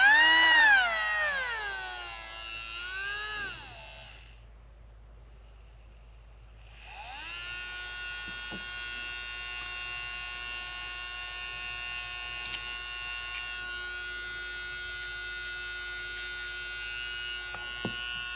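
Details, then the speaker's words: Marui Big Bear R/C monster truck small electric motor on a power supply: whines up and down, pauses, then holds a clean steady high hum after oiling its bearing, running smoothly. "need to get some oil on this bearing and you can hear what a difference that makes already"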